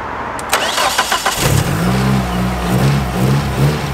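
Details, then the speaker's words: Nissan S13 200SX starting after the faulty injector connector wiring was soldered: a quick crank, then it catches cleanly and settles into an even, steady idle on all four cylinders; normal start after repair. "we're gonna put the connector back on and start it and hopefully it's firing on all four"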